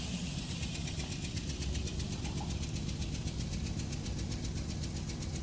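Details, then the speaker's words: Van with coil A and D faults idles lumpy on three cylinders right after seeming fixed; the owner suspects the exposed wiring harness to the PCM, which had shifted. Uneven stumbling beat as one cylinder drops out: misfire at idle. "now it's running on three cylinders i spoke way too soon i don't know what's happening"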